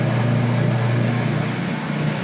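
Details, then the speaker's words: Whirlpool direct-drive top-load washer in its drain cycle: a low, steady rumbling hum from the gear moving back and forth, with no grinding or knocking. This is the normal drain sound, distinct from the rubbing sound in spin. "like I said I don't know why it makes that sound in drain and then a rubbing sound in spin"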